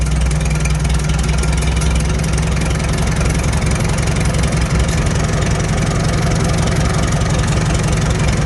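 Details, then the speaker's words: Farmall H tractor after adjusting the carburetor air idle screw, which was found turned far out; its Delco distributor was earlier skipping spark near the hood. Low, even putt-putt with a steady beat and no misses or knocks. Normal idle. "right there that's perfect el perfecta mundo yeah i like that putting right along"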